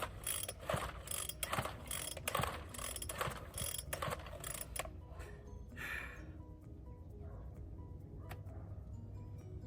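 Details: Free found Bolens BL160 string trimmer, pulled over after fitting a new plug and fresh fuel: one ratcheting spin per second, no firing; cranks but will not start, cause not yet found.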